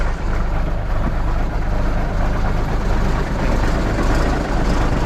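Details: Diesel truck just restarted after a starter-related no-start: steady low diesel rumble with an even idle rhythm and no knocks or misses. Normal idle.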